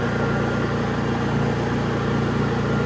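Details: Honda EU3000is inverter generator after a Nashfuel propane/LP conversion kit install: steady, even run with a fine regular pulse and no misses or hunting; running healthy.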